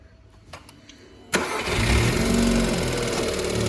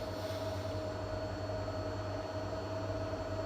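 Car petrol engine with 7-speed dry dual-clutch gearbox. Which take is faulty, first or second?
first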